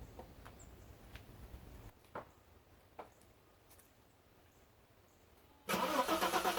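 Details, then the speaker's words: Bitter SC 377 with Bosch L-Jetronic and a hot-start problem, 4.6 kΩ resistor faking a low engine temperature, fuel pump sounding worn: short crank, catches at once into a steady run; owner suspects the injection temperature sensor. "I think that General fuel delivery is not a problem even with the pump that sounds like that it's obviously on its way out it is still starting well with the fake low temperature"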